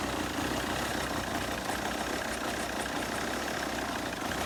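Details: 2010 Volvo XC90 2.4 D5 diesel, Euro 4 EGR setup, uses oil, cold start: lumpy, uneven idle lacking the five-cylinder thrum, often cutting out until warm; EGR and intake cleaned, injectors test fine, no ECU codes; cause unknown.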